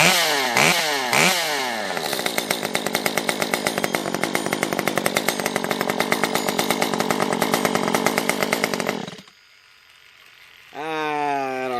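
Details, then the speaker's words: Stihl MS 194T top-handle chainsaw after a muffler mod (inner baffle removed, timing advance), now with a small baffle/deflector on the outlet: it screams clean at full revs, drops to idle, revs up smoothly again, slightly quieter; normal high-rev running. "I think I actually like it with that little deflector on there a little bit better. Not quite as loud. Yeah, not quite as loud."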